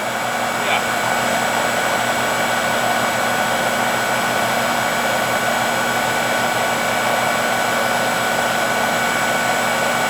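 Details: Trane AC condenser after recharging, earlier reported humming and not cooling: steady, even fan rush with constant motor hum, no rattles or surging; back up and running normally.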